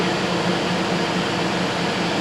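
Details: GMC Yukon Denali with replacement PCM from salvage yard after a no-crank fault, codes erased: smooth, even idle with steady hum and no knocks, misses or rattles; normal idle.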